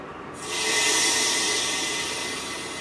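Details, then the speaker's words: Replacing an 8-year-old electric hot water tank: air purging out the pressure relief valve as the tank fills from the cold supply. Loud steady hiss until water arrives and all air is purged; normal, no SharkBite fitting leaks. "still purging [Music] and there's the water so we've purged all the air out of our hot water tank"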